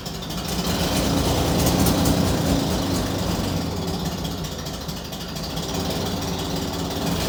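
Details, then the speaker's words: Corvair with swapped-in old stock carburetors and auto chokes, cold start in single-digit Fahrenheit: lumpy, uneven running wavering about four times a second, no steady idle; rough running, yet idles on its own unlike with the old worn carburetors. "although it doesn't sound good this is a huge step because the car would not idle on its own with the other carburetors if I wasn't on the throttle in the car"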